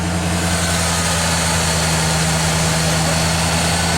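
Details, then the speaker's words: 1987 Bronco, first run after engine install; steady, even idle with a low rumble and no knocks or misses, while oil burns off the manifold and the smoke is already clearing. "It's just a bunch of oil and shit burning off the manifold. Sounds like it's idling all right."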